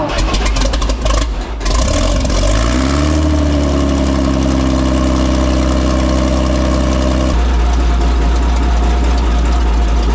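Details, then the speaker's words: WWII German Hetzer tank destroyer engine with two single-barrel carburettors, their linking lock screw loosened so each can be adjusted separately. The engine catches, climbs and settles into a fast, steady idle, then drops lower. Idle speed is too high and needs lowering via the idle settings. "because this is one of the 2 carburetors that we need to play around with the idle settings to get it to idle a bit lower."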